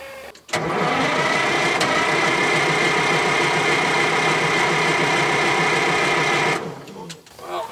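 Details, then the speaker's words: 1968 GMC water truck with an old, tired Detroit diesel, low compression: steady, even churning at about four beats a second that never catches; low fuel level and an air leak behind the dash also noted. "you uh don't want to use the snort it's old tired detroit low compression don't worry about it"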